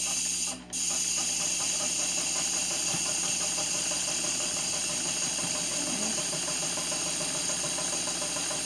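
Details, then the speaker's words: Late grandmother's Dressmaker sewing machine on its first stitches: fast even mechanical ticking under a steady high hiss while stitching, a weird noise of unclear cause, though the seam comes out fine. "It's a weird noise it's making. Not sure why it's making that noise."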